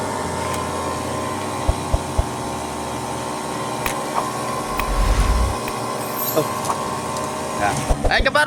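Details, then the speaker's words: Repaired electric sprayers, charged and filled with water, on test after fixes such as resoldered wires, a switch and a motor: small pump motor hums at a steady, even pitch with no stumbling or rattle; runs healthy. "Now, let's test each one to see if they're really OK."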